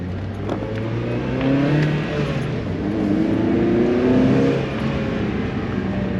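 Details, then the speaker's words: Miata put back to stock exhaust and intake after a state referee ticket, driving pull; engine note climbs smoothly, mostly intake hum, barely any exhaust, no rasp or drone; unusually quiet, feels slower. "I can barely hear like the cards the weirdest thing my car's never been this quiet you can like hear the intake but you can hear no exhaust this is so weird guys"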